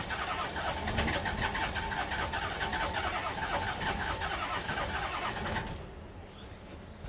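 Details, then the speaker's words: Bus with a 6.0 diesel: the starter churns evenly at three to four beats a second, never fires, then stops. Plenty of battery, fuel coming through, unburned diesel smoke from the exhaust: crank, no start. "it's turning over. Oh. Got plenty of juice. Okay. There's fuel coming out."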